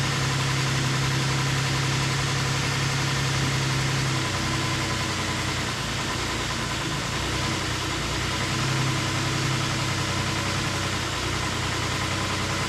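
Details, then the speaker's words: 2008 Ford Explorer 4.0 SOHC, first start after timing chain replacement and engine reinstall (sludge found, earlier no oil pressure): idle drops and climbs over several seconds; hunting idle, owner suspects a vacuum leak, sounds better than before. "a little bit of a hunter [Laughter] [Applause] [Music] yeah we got a vacuum leak or something somewhere i'll find it but it sounds a lot better than it did"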